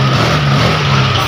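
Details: Honda Vario 125 FI scooter after repairing broken wiring and resetting the MIL: starts and idles with a steady even low hum, no misses or knocks; normal idle.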